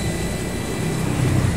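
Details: Electric water pump after a leaking seal was replaced, steady low hum with even water rush and no surging or rattling; the seal area is dry and the pump runs smooth and healthy.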